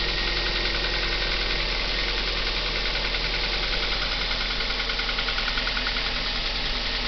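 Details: Cold start of a Kia Ceed engine: light tapping about three to four times a second over a fast cold idle, fading as revs drop; cause not pinned down.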